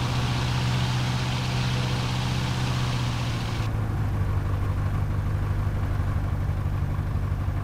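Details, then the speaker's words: Light aircraft piston engine, ground run after plug cleaning and new battery: low, lumpy drone with uneven pulse and a tone shift; vibration making the aircraft wobble, rough running, cause unknown. "yeah we have got something weird i've got a bit of a vibration at the moment i can't fly like this she's wobbling all over the place"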